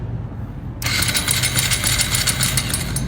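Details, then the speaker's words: 2025 Honda Grom whose mechanic-installed oil pump and upgraded clutch were messed up, cranked in a parking lot: the starter engages with harsh metallic rattling, no firing, stopping after two seconds. Seized engine wrecked by oil starvation. "my 2025 Honda Grom I had someone install an oil pump and my clutch my upgraded clutch and they messed up th"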